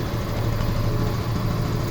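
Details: Yamaha FZS V3 run from an external universal fuel machine because the tank pump gave too little pressure (2.5–3.5 kg needed): low steady even idle, no knocking or misfire; pump motor confirmed faulty.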